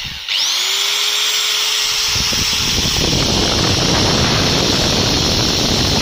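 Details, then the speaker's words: Angle grinder after cleaning and re-greasing the gearbox, run with no load: a steady whine climbs quickly in pitch as speed rises and oil is distributed, then settles into a smooth free run with no grinding or knocking. "now we just run it, listen, the engine begins to accelerate, that is, the oil is distributed to the right places"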